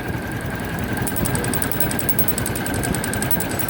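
Engine runs at steady idle with a sharp, regular tick, about eight per second, sitting over the exhaust note. It is a knock with no cause yet found.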